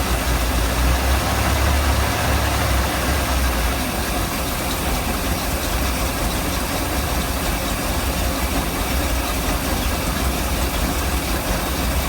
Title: Mercruiser 454 rough idle